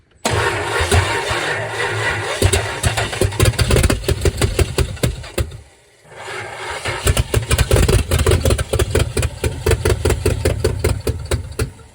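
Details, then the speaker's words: 1963 Dodge Dart 270 convertible with 360 V8 swap, after fixing a loose carburetor: cranks, catches, stumbles briefly, then fires again and settles into a lumpy but steady V8 run; starts and runs. "Nice. Rousing success. As expected, it's gonna be a runner."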